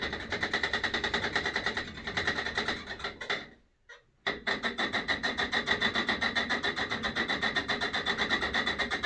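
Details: Sole E25 elliptical: loud creak repeating each turn, steady under use, persisting after greasing handlebar and foot-bar joints and lubing rails; creak remains with footbars disconnected, so owner suspects inside the flywheel, unconfirmed.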